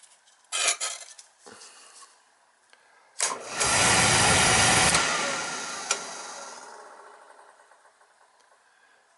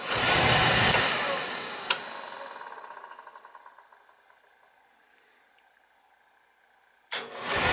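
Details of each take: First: Beckett oil burner tripping out on safety: it clicks, lights with a roar, fades out after about two seconds, then relights. Faulty primary control is shutting it down; the fix is replacing the control. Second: Beckett oil burner on boiler that kept tripping on safety, after transformer replaced and further parts checked: after a short quiet spell it lights with a clean whoomp into a steady roar, no hesitation.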